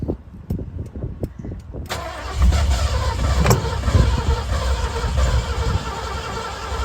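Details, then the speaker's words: 1966 Ford Bronco U13 Budd body, first start attempt with a new, unadjusted and possibly leaking carburetor, choke nearly closed; steady cranking just under two beats a second, engine never catching: crank no start, cause unconfirmed. "doesn't sound good closing the choke almost all the way here try it doesn't sound like it's drying giving it some more juice"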